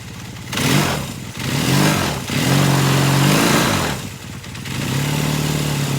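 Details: 1978 Kawasaki KZ400 twin after exhaust and carburetor install, first run, choke then off: catches into a steady idle with several clean throttle blips rising and falling smoothly; owner says it has a nice sound, normal running.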